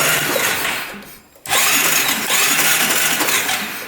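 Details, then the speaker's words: 2012 Honda Rancher 420 ATV, starter suspected corroded brushes, after repeated cranking: starter whirs up immediately with a bright, even spin, no dragging or grinding; cranking now healthy. "I think that starter just had some corrosion I'm guessing on the brushes preventing it from working yeah so now it instantly does it"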